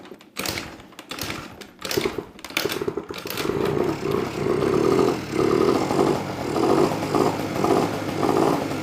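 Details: Honda Spree two-stroke moped after its oil-clogged exhaust was cleared by burning it out: a few sputtering cranks, then a steady buzz with light throttle blips; it now runs normally.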